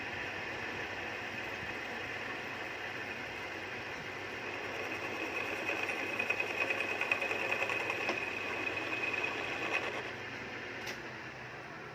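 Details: Lathe turning a welded crankshaft arm end repair in hard steel: even, steady cutting hiss with no squeal, knocking or rhythm changes. Normal finishing cut.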